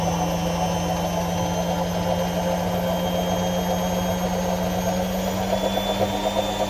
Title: My AEG Washing Wachine Rattling Sound